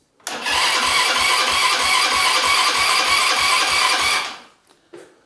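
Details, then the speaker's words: Buggy engine freshly installed, cranking: starter spins it at about three compression beats a second for four seconds with no firing; carburetor completely empty, only drawing fuel under vacuum; starter speed possibly too low. "ja muss ja auch erstmal Benzin haben ne ich meine der Vergaser ist komplett leer und der kriegt ja auch nur Sprit wenn er Unterdruck zieht"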